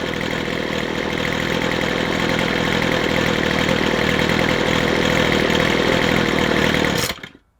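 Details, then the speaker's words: McCulloch 250C XL X-series two-stroke strimmer after carburettor repair; even burble holding steady tick-over for seven seconds, then shut off cleanly; healthy settled idle. "I'm going to call that a win. Ticks over nicely."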